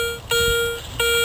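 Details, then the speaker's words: Garrett Ace 250 metal detector with small 9x6 coil in a park: two clean steady mid-pitched tones as the coil passes over, reading between penny and dime at 2 to 4 inches; solid repeatable hit, guessed to be a coin. "Okay guys, got another solid hit. Let's see, showing up as between a penny and a dime."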